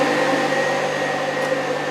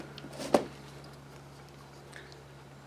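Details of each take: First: 1968 Mustang with Alloyworks aluminum radiator and its electric fans: steady fan hum with a faint pulsing beat that cycles into a rhythmic vibration felt in the car; the faulty fans, fixed by replacing them with new fans. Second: Replacement electric radiator fan for a 1968 Mustang, bench-tested on a table and powered directly: a steady, smooth whoosh spins up, holds an even pitch without wobble or rattle, then winds down. Almost no vibration, unlike the original fans.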